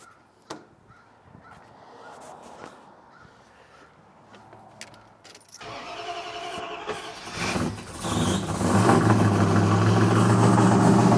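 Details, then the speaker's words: Old Dodge Ram, freshly installed untuned rebuilt carbureted V8: quiet fiddling, then it catches and rises to fast idle with a sharp puffing tick in time with firing; exhaust leak. "And we have an exhaust leak."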